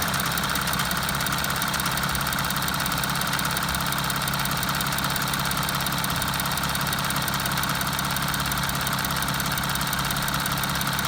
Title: Q7 272hp weird noise part 2